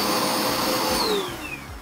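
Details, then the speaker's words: Clogged, almost-new Dirt Devil Power Max Pet UD70167 upright vacuum after the clog was fixed: the motor whines up smoothly to a steady high hum with clean airflow, no rattle or choking; running normally. "oh yeah that sounds great"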